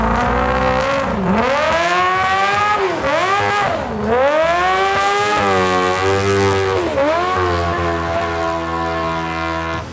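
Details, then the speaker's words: Street-legal land speed motorcycle on a run: engine screams up and sags in repeated surges with little drive, lots of noise but no go; clutch slipping, believed smoked after acting up earlier. "My next run was like teenager's car. It made a lot of noise but not a lot of go. The issue was the clutch [music] again."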